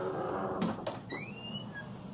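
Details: Door swinging with a thin squeak that climbs in pitch as it moves, from a dry, slightly rusty hinge pin; fixed by greasing the pins with petroleum jelly. Squeaky door hinge.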